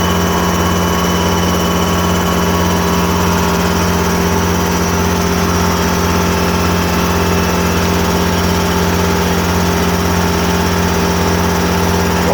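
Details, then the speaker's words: Two air compressors together refilling roughly 300 L of bottles replacing original 100 L tank: two steady motor hums with even quick pumping pulse, no knocks or rattles; running normally. "Donc là, on l'entend se remplir. J'ai la possibilité donc de mettre le deuxième compresseur pour amorcer l'installation plus vite. Voilà, là j'ai les deux compresseurs qui tournent."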